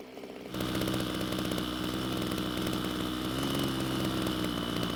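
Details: Ryobi two-stroke string trimmer after L screw turned counterclockwise and idle raised: catches and holds a steady buzzing note with even exhaust rattle, running smoothly.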